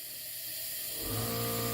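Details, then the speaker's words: 2016 Land Rover Discovery Sport 2.0L turbo petrol, engine died, VVT actuator and timing repair: leak-down test reads 35 with a steady hiss of air escaping; it is unclear whether bent valves or carbon on the valves cause the leakage. "Gosh. You can hear it leaking out. Now we got to figure out, is this bent valves or carbon?"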